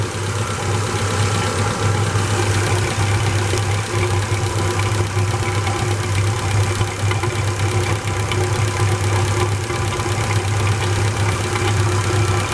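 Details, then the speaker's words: Engine on gas (LPG) idling after an oil change and pan flush to cure hydraulic lifter knock: smooth, even idle with no lifter knock, only light fast ticking from the gas injectors over a steady low hum; engine seems quieter, normal idle. "Может быть, это какое-то самовнушение, но вроде бы как двигатель работает тише."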